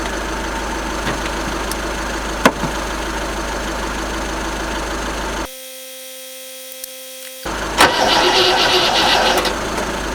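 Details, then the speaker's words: Rover SD1 with newly fitted 14CUX EFI, cranking on jump leads: steady cranking about 220 per minute, never catches, no fuel pump hum; pump not triggered by its relay, crank no start. "I'm really not sure any fuel's coming up. I can't hear the fuel pump."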